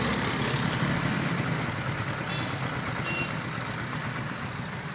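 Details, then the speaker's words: Honda 70cc motorcycle after timing chain replacement: the small single-cylinder holds a steady, even idle with no rattle or ticking from the top end. Timing chain noise fixed, normal idle. "तो ये देखें दोस्तों बिल्कुल बेहतरीन इसकी फिटिंग हो चुकी है, आवाज़ भी साउंड हो चुकी है।"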